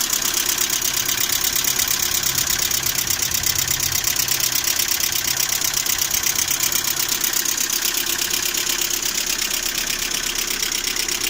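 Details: Lada Priora with 21126 engine, oil temperature about 90: fast, light metallic ticking over a steady idle, hydraulic lifters tap both cold and hot; oil viscosities and oil pickup changed without effect, root cause not found.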